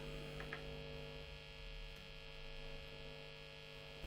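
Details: Late-1980s Hiwatt 100R Trinity 100-watt British tube guitar amplifier with intermittent faults: loud, steady low mains hum with a buzzy edge and no signal playing, from the power supply or grounding.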